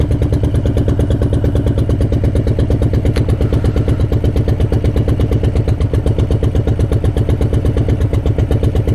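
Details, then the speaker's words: Harley-Davidson 2018 Breakout with 131 kit (originally 107), warm after riding: slow uneven lumpy thumping at idle, sounding like knock, from the rear cylinder shut off by the heat-management system. "As you can hear, it kind of sounds like engine knock."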